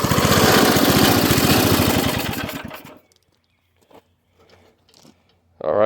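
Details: Craftsman rototiller with a Briggs & Stratton 5.5 hp I/C single-cylinder engine, after a non-start fixed by rinsing water and rust from the fuel tank and refuelling. It fires loud and even for a couple of seconds, then shuts off; steady beat, runs fine.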